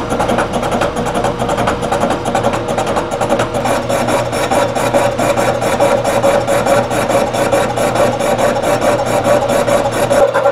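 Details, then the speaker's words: 3-inch face mill on the last, overhung flange of a warped Ford V10 exhaust manifold: rough rasping cut, fast regular pulsing and harsh ringing tone, poor surface finish. Face mill chatter from unsupported flange. "you know i'm not really happy with that i'm not happy with that we're going to do something different here well i was not happy with the surface finish on this last flange"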